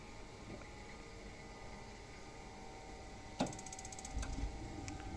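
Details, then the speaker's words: Thermowatt-type gas boiler/heater ignition control board after replacing broken ION-sensor amplifier transistor with higher-gain one: quiet, then quick burst of sharp spark ticks and burner catching, flame stays on; normal ignition. "so it delivers the shock and you can see the flame continues"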